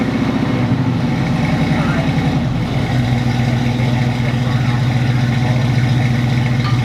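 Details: 1980 Chevrolet Camaro Z28, factory LM1 350 with Turbo 350 automatic, running after being parked about 5 years: a deep, lumpy V8 idle holding a steady low rumble with no knock or tick. The smoke is the header cooking; the engine runs.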